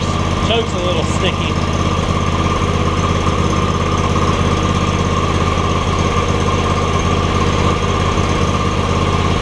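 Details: John Deere X300 mower with no spark and a suspected bad control module; a black wire was pulled to bypass it, fuel solenoid shuts it off. Steady, even single-cylinder chug at settled idle, no misses or surging: normal idle.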